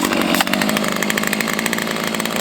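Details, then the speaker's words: Stihl MS290 chainsaw after repair: buzzes cleanly at full throttle, steady pitch, no bogging; runs well though top rpm sits a touch low, owner thinks tweaking the high-speed carb screw would raise it. "I know if I tweak that high-speed screw, I can get those RPMs on the high-speed to kick up. Some of you guys might be thinking that sounds like it's not quite where it should be."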